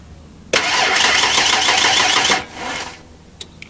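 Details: 1992 Ford Explorer being started for the first time in 15 years. No fuel pump is heard at key-on, only the relay cycling, and propane is fed in while cranking. The starter spins briskly in even beats for about two seconds but it never catches: a dead fuel pump with no fuel delivery.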